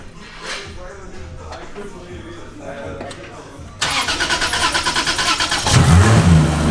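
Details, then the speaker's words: 2JZ-swapped Mustang, rebuilt head after blown engine, compression about 130 on the back cylinder; cranks briefly, catches, settles to an even idle with a clean rev blip, sounding smoother than before. "it sounds better than it did really actually does it sounds a little smoother well it's like a brand-new head"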